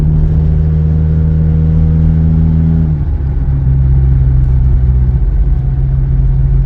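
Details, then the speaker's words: Honda Accord after muffler delete, revs a little under 2,000 rpm: very loud, deep booming drone that holds then drops as revs come down; loud exhaust from muffler delete. "Exhaust super loud, even a little bit. Look, a little under 2 RPM. That car is super loud."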